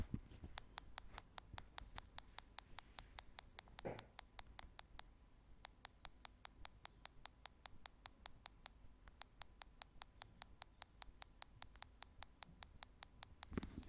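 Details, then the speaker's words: Nexus 9 tablet with the microphone held close to the bottom speaker: sharp, even clicks about two or three a second over near silence, with one short pause; the speaker clicks constantly on its own. "So as you could probably hear, it's quite annoying to have this sound on your tablet because it's not that loud, but especially when you're in a quiet room, it's very obvious and yeah, you get annoyed by it that it's constantly doing this click, click, click, click."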